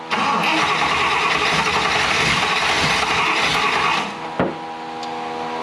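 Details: 1960 Buick LeSabre, replacement 364ci nailhead, rebuilt unadjusted carburetor, after broken distributor lead wire found: starter cranks steadily about three turns a second for four seconds, never catches; cranks without starting, carburetor tuning suspected.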